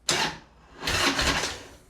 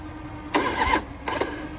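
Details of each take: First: 2004 Harley-Davidson Road King, 88 ci Twin Cam, unused about 5–6 years, no primary fluid and derby cover open; three cranking bursts, the last a long even churn of about three beats a second, starter spinning it strongly until it starts. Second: 2004 Harley-Davidson Road King, 88 ci Twin Cam, unused about 5–6 years, engine not seized; two short, sluggish starter bursts die off quickly because the weak battery can't hold the crank.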